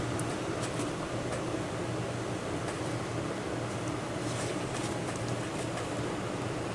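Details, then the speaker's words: Repaired Wanhao Duplicator i3 / Monoprice 3D printer cooling fan at 12 volts: smooth steady whir with faint even hum, slightly off balance but no longer buzzing; running normally. "yeah it's it's really smooth now you can see it's a little off balance but remember before i would kind of push it against the table and you could hear it buzzing not anymore and it's running excuse me it's running at 12 volts"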